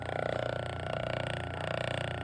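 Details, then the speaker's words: Robbins & Myers electric motor with shaft play on test lead: steady roar and rumble with a fast rhythmic knock from worn bearings, before bearing replacement; centrifugal start switch clacks are normal. "That's not the problem. The problem is the roar, the the the rumble. Listen to this."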